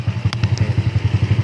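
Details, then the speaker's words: Neglected, unused Yamaha Nouvo Z scooter, kick-started since electric start fails, idling: lumpy beat about seven pulses a second with a dry mechanical rattle from inside the engine; cause unclear. "berisik ngericik gitu-gitulah nih."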